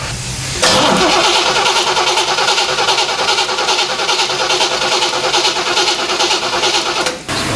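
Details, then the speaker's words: 1970 Chevrolet Corvette C3 after poorly done upgrades, won't start: starter cranks evenly and fast but never fires; no spark seen while cranking, only 9 V instead of 12 V while cranking, suspected ignition power supply fault. "haven't seen any spark but only cranking I have a power supply problem"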